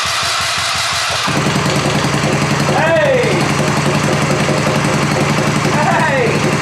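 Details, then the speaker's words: American Sportsworks Carbide 5150 go kart, GY6 150cc single, first start after replacing starter clutch (one-way bearing) that stopped it cranking; catches after a few seconds and settles into a steady, even chug with no knocks or misses, healthy normal running. "oh that sounds good oh my gosh it's R it perfect no way wonder if it move"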